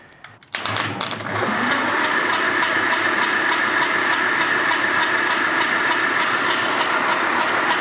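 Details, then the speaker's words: 1947 Willys CJ-2A engine, unused 30 years, cranking for compression test after soaking cylinders in Mystery Oil, off a 12 V battery via 8-gauge jumper cables: slow, labored cranking about three beats a second, no firing; starter short of current. "it'd probably go higher but the engine's not cranking very fast because I'm trying to do it off a 12vt battery off of 8 gauge jumper cables so good sign"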